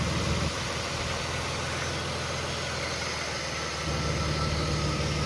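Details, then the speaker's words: 2000 Chrysler 300M with 405,000 miles, P0305 misfire on cylinder 5, spark ruled out: rough idle whose note dips and rises as propane is drawn in at a vacuum leak near the intake seal. "the engine is going to change rpms or stumble or change characteristics and right here I don't know if you can hear that imagine changing rpms"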